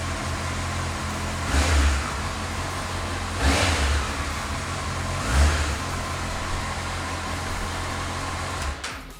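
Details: Honda CBF1000 four-cylinder motorcycle with 46,748 miles holds a steady idle through three clean throttle blips, revs rising and falling smoothly, music faintly behind: normal, healthy idle and revving.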